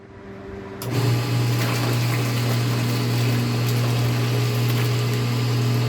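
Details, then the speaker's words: Water pump starts with steady motor hum and water rush, draws water then stops drawing repeatedly; loses suction, air in the system breaking the prime. "observe how it stops sucking water, it sucks it up, and it stops sucking it, I turn it off, we return."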